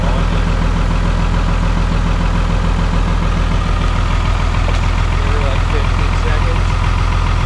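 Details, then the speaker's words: VP44 Cummins diesel cold start at -25 in B.C. Canada, high idle with about 600 EGT; loud steady clatter at fast idle, even beat about three and a half per second; normal cold high idle. "That's that three-cylinder high idle. We're sitting at just about 600 EGTs right now. Wow."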